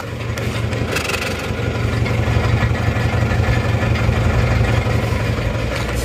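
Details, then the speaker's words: Isuzu Panther Touring Turbo diesel (pre-Euro), overhauled a year ago; idle lumpy, limping beat as one cylinder keeps dropping out, lacking power; suspected scored liner, heavy blow-by, thick exhaust smoke. Misfire. "ini ada kemungkinan linernya sudah baret makanya ini satu silinder seperti kurang ada tenaganya dan pincangan"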